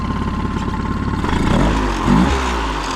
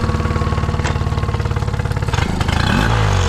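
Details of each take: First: 2008 Honda 20hp four-stroke tiller outboard, restored after seizure, mixture screw leaned: steady even idle with a brief blip settling right back; mixture well set. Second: 2008 Honda 20hp four-stroke outboard after restoration and new impeller: steady beat that sags and nearly dies before catching; occasional throttle hesitation, owner suspects air mixture screw slightly out of adjustment.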